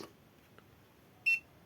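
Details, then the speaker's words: Xiaomi 1S electric scooter after repair (BMS unlocked, battery cells restored, reinstalled): one short, sharp high beep at power-up because the scooter is locked and must be unlocked via the app; repair successful. "Perfetto, il beep che sentite è dovuto al fatto che il monopattino va impostato va sbloccato con l'applicazione."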